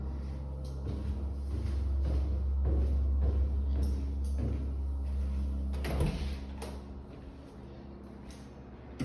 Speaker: There it goes again. Yeah, so it's just sporadic, on and off, throughout the whole day, intermittently.